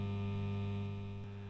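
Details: Fender Blues Deluxe amp, in for a broken standby switch: constant low mains hum with a steady buzzy edge and overtones; the hum sometimes cuts out and back in, and an unhealthy first capacitor is suspected, unconfirmed.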